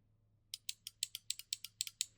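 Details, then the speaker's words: 2005 Kawasaki ZX-6R 636 front brake lever switch: ten sharp, crisp metallic clicks about four or five a second over near silence as the switch plunger pushes in and out with the lever; working normally. "That's what makes the brake noise that I really like. Um yeah, it's just like metal is just like hitting it together."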